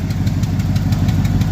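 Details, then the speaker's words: 1975 Ford F350 body on a 2004 Cadillac Escalade 6.0 liter AWD chassis, just started after sitting about two years: deep, steady V8 idle, even low rumble, no misses or knocks; running really smooth, normal idle. "Running really smooth. Pretty wild for sitting for so long."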